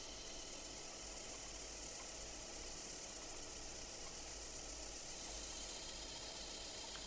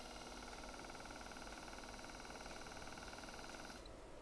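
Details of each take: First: Mercedes SL600 passenger-side throttle body motor spun on the bench: steady gritty high-pitched hiss and faint whine from a worn front bearing, heard in forward but not reverse, running slower with slight vibration; replacement motor is quiet and faster. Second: Replacement throttle body motor for a Mercedes SL600 passenger-side throttle body, spun on the bench: smooth, steady high whir with no bearing noise, spinning faster than the original motor, which had front-bearing noise, vibration and slower speed.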